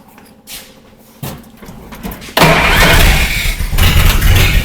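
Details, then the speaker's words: 1954 Willys Jeep truck after valve-train work for sticking valves and refitting a forgotten distributor wire: quiet cranking, catches at once into a strong, steady low idle with no misses; runs smoothly, though it smokes. "victory dance are we sound better now it does sound better that sounds really [Music] good wow that thing's idling really smooth and everything"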